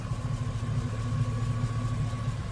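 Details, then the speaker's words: Pickup truck running again after breakdown, fitted with a high-flow oil pump, gauge showing about 50 oil pressure at idle: even, steady low rumble with no knocks, ticks or misses; idles beautifully, normal idle. "It idles beautifully."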